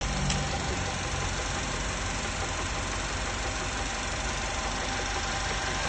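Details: 1.8 TSI petrol engine at idle: a dull, steady knock running under it at engine speed, described as a piston knock; exact source unconfirmed without teardown inspection.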